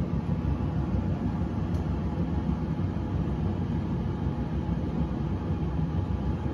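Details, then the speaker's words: Whirlpool Cabrio WTW7300DW0 dryer after rebuild with new thermostat, idler pulley, drive belt, rollers and one more part: low, even drum rumble with no squeal, thump or scrape, good hot airflow, clean lint trap; normal dryer operation. "start it sounds great runs great sounds real smooth"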